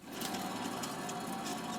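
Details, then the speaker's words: Chevrolet Silverado/Suburban front hub assembly, rotor and caliper removed, hub spun by hand: steady rough growl with faint humming tone, no engine running; worn wheel bearing in hub, being replaced. "these hub assemblies were making noise i mean the bearing in the hub was making such a zooming noise"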